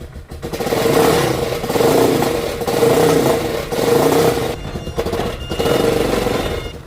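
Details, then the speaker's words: Motocarro three-wheeler with an ignition fault, after replacing the failed ignition coil; single cylinder blips up and falls back cleanly, steady and crisp, no valve noise; a tinny rattle traced to a loose exhaust joint. "Okay, quedó perfectamente bien. Jala muy bien, anda muy bien, pero escucho un sonido de lata por aquí."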